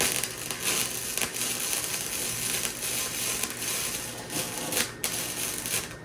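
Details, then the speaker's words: Titanium Flux 125 flux-core welder, beginner joining two exhaust pipe pieces: dry frying crackle with uneven pops and short dropouts as the arc blows through the thin pipe wall; burn-through. "Sounds like we burned through her a little bit. We did."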